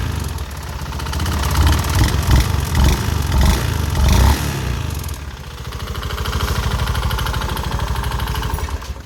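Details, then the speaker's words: Honda Scoopy FI scooter: rough idle with heavy harsh clacking knock keeping pace with the engine, louder as revs rise; suspected running out of oil, with oil found around the filter area, unconfirmed. "Suaranya sangat kasar sekali ini diakibatkan karena kehabisan oli"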